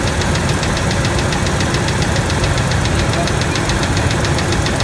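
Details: 1997 Ford F-150 V6 idling with a sharp, steady valvetrain tick about eight per second over a low rumble; stethoscope on the rocker arm bolts finds it louder on the middle cylinder, both valves; source unknown.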